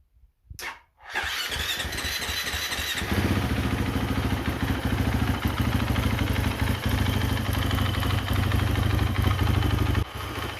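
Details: KTM 350 Freeride: starts only with throttle, dies if revved, idles only seconds when cold, improving as it warms yet still struggling: catches after brief crank then loud, uneven, lumpy wavering idle. Hard starting and rough idle.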